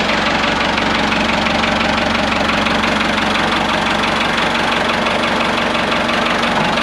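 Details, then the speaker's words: Ford 5600 tractor diesel just after injection pump removal and reinstall, timing set back to original mark, no leaks: even diesel clatter at steady idle, about three beats a second, no misses or odd knocks; sounds as before removal; normal diesel idle. "all right guys everything looks good no leaks anywhere engine sounds good you can really tell the timing by the sound of the engine it sounds just like it did before I pulled it off"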